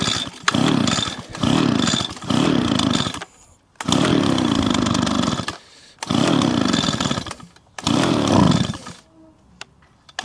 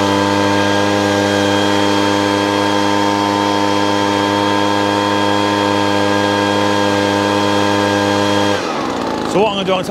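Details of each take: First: Small two-stroke leaf blower that would not start on bad pre-mixed fuel, first run after repair: bursts into a high buzzing run, drops to idle between blips and revs back up cleanly; runs normally, though smoky. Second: Small two-stroke leaf blower run on the owner's pre-mixed fuel: steady high buzz at constant speed then cut off, running lazy, rich and very smoky from oil-heavy fuel.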